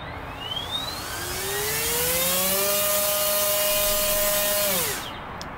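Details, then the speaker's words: BLDC motor on a thrust stand driven by a field-oriented-control ESC: a smooth, clean start-up from very low speed with a rising whine and no stutter, quieter at idle than the previous ESC. "much quieter at idle and not only is it quieter it start up in spins there's significantly slower speeds"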